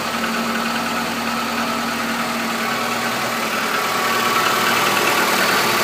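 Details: 2014 Chevrolet Niva, 100,000 km, cold start at -15°C: steady idle with a light, regular tapping about three times a second. The knock fades as it warms, has been present since new, and lifters and compression are fine. Its origin is unclear.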